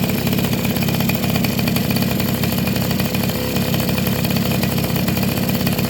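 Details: Two-stroke motorcycle (Suzuki RC110 / Yamaha Y100) after replacing a hardened, leaking crankcase seal that had prevented starting: steady, buzzy idle with no stalling or surging; running normally.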